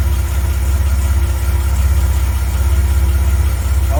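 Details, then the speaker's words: 1980 Reliant Scimitar GTE SE6A restarting on its own after standing 10 minutes, with no extra fuel in the carb: steady, even low idle thrum with a soft regular pulse and no misses. Normal idle, though new fuel lines still need ordering. "Doesn't sound gorgeous. Can't wait to take this back out on the road. Slip. Yeah, she sounds lovely."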